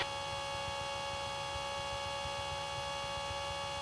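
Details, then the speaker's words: Light aircraft in a flight lesson, full flaps, near 3500 ft, aiming for 55–60 knots but slow and pitching up too much: a steady, reedy stall warning horn over a low engine drone. "that was your stall warning horn going off didn't hear it okay"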